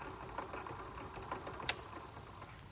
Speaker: the magnets that go around the Hub on this motor got dislodged so they're loose that's what causing that noise that's what that rattling is